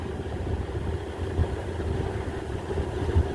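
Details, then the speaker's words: 2018 GE window AC AHP08LXW1 after its failed control board was replaced by a home thermostat: steady low hum with a faint constant tone, no rattles or surging; normal running. "But this way it'll actually turn on and off like it's supposed to. So that's nice."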